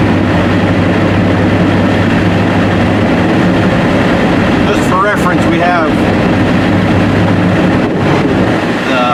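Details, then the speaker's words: 1991 Porsche 944 S2 swapped to a Chevy 6.0 LS L77 V8 with new transaxle gearing, cruising in 5th at about 50 mph under 1,600 rpm; 3-inch mid resonator and full rear muffler give a steady low drone, no rasp or blow. "a 3-inch resonator in the middle of the car, and then a full-size muffler on the rear. That's what it sounds like."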